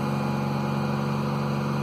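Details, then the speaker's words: 2003 Mercedes CLK (2.4 or 2.7 engine), banging noise and engine light, crank/cam correlation code, accelerator pressed: uneven lumpy idle with low drone; misfires counted on cylinders 1, 2 and 3, cause not confirmed. "You can hear it's rough. So there's the misfire counters, cylinders 1 and 3 and 2."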